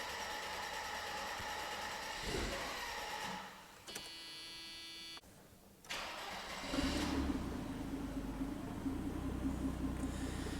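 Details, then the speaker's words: Mercedes-Benz W124 300CE turbo, M103 engine, after timing chain, MLS head gasket, water pump, tensioner and serpentine belt replacement; lower compression, air-fuel mixture adjusted; revved at first start: fires and revs smoothly, steady note, no misses or knocks; normal revving. "And what do you know about that? Basically seamless startup."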